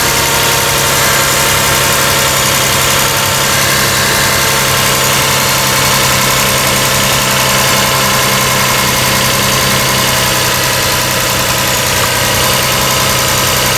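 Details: Toyota Camry 3.0 L V6 (2002–06) idling during a PCV valve vacuum check, with the valve clicking audibly: a steady, even idle with a busy hiss over a low hum and no knocks or misses. Normal idle.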